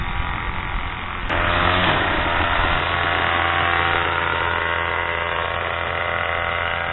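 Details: Craftsman/MTD 2014 25cc two-stroke curved-shaft trimmer after a new Walbro carburetor and gasket were fitted, primed ten times, full choke; fires at about 1.5 seconds, then holds a steady, even buzz without surging or dying; running properly.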